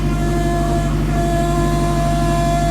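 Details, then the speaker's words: K24-swapped Honda with TSX power steering pump, 6AN lines, priming at idle: loud constant high whine over idle, extremely loud though steering works; owner suspects a bad line; power steering pump whine. "So I'm gonna go ahead and prime the power steering pump. So you can hear it whining a little bit."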